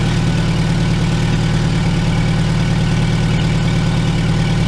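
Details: 2002 VW Gol after starter motor rebuild and repair of broken phase sensor, ignition coil and coolant temperature sensor connectors: deep, even idle with a smooth, regular pulse and no misfire stumble; sounds healthy.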